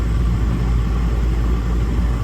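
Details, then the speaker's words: Daikin package unit with only the compressor droning and no indoor blower airflow; the evaporator is frosting up. The blower motor is not trying to run and is cold with no G call, and the blower's 240 V wire was found disconnected. "I think it's safe to bet we don't have any blower operation. This is frosting up."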